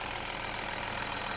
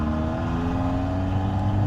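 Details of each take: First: Peugeot 308 GTi idling just after installing a decat downpipe with heat-wrapped top half, listening up front; smooth even idle, steady hum, no puffing or ticking; no exhaust leaks seen or felt, underneath not yet checked. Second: Peugeot 308 GTi driving after decat downpipe install: loud raspy exhaust drone rising and falling through gears, booming on throttle, with pops; far too loud, owner wants a resonator or exhaust to quiet it; no engine light.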